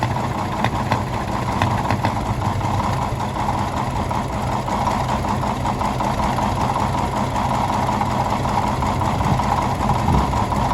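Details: 1951 D8 2U dozer that sat in a barn since about 1990, big diesel motor running after first start; deep, steady chug at constant speed with a clattery mechanical note, running evenly and sounding healthy.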